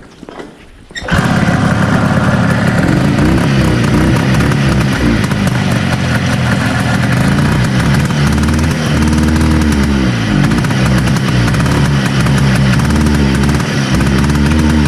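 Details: 1970 Herter's Husky 440 Sachs twin-cylinder two-stroke snowmobile, weak intermittent spark on one side, during points wire swap test: loud uneven burbling, lumpy stumbling beat and wandering revs; one cylinder misfiring, points suspected.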